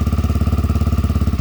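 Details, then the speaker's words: 1987 Honda XL250R RFVC single, barn find that sat for years, cold, not yet warmed up, Supertrapp exhaust: quick even pulses about fourteen a second with no tapping; surprisingly quiet, healthy idle. "wow the engine's nice and quiet normally they're a little bit noisy the rfvc has a little bit of noise sometimes but"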